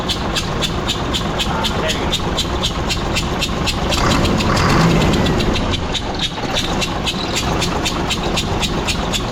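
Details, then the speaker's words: Mack diesel engine running with valve cover off: fast, fairly steady ticking about four per second; owner suspects a worn valve guide or valve, head has heavy carbon buildup; valve train ticking, cause unconfirmed. "so I think that means it's a valve guide cuz it it is like drastic that it's worn out and it's got some or it's the valve I think that's what that actually means cuz it I'll start it up and I'll show you so with the valve cover off you can really hear it"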